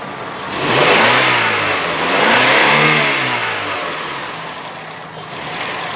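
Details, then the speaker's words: 1998 Honda Accord four-cylinder, hood open, restarted after stalling: engine rises and falls smoothly through several throttle blips, no high-rev knocks, taps or valvetrain noise; very low idle after, healthy free-revving engine. "Yeah, there's no high rev knocks. There's no taps. There's no valve train noise, none of that stuff."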